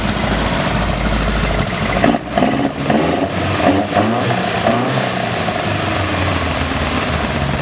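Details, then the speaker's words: Ford Capri Mk1 1600GT with aftermarket sidedraft carburettors (ITB-style setup) and new exhaust replacing a straight pipe, running in the engine bay: steady, even running with a throaty intake note and light blips, pulling cleanly with no misses or knocks; normal running. "I'm going to give you guys a quick sound clip of what the Sidedraft sounds like, and just a quick view of the engine bay, what we've done since the last time."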